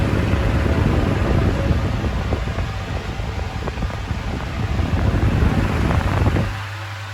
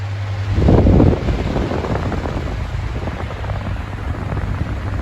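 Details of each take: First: 2000s Bionaire 2cool 16-inch pedestal fan, bought used at a car boot sale, on high, drawing a stated 18.1 W: loud, steady rush of air over a low hum with no rattles or ticking; it runs properly but very loud. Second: 2000s Bionaire 2cool 16-inch pedestal fan on low speed: steady low roar of moving air with a constant deep hum, far louder than it should be even on low. Excessive running noise.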